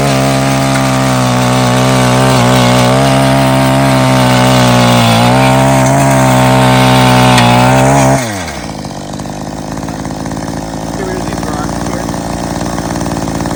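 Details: Mantis Mini Tiller two-stroke with new carburetor and fuel line, tilling yard soil with some rocks: steady high buzz holding speed under digging load, then dropping smoothly to idle; runs clean and healthy.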